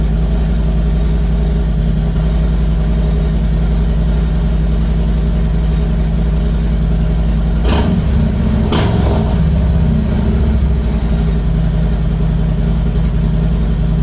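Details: 2020 Harley-Davidson Street Glide just after an oil change, started to check oil pressure: steady, even low rumble with a smooth lope and no knocks or ticks; oil pressure came right up, idling healthy.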